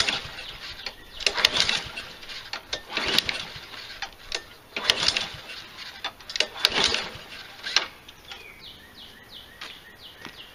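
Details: Nearly new Husqvarna 7021R mower with Honda engine, left sitting a long time, no air filter fitted: half a dozen quick pull-cord rasps about every 1.5 s, never catching; cranking, no start from lean intake.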